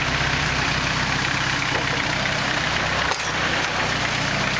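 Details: 240 KA-T engine at idle: a loose, uneven tapping, roughly two or three a second, riding over the hum; abnormal engine noise, cause not pinned down.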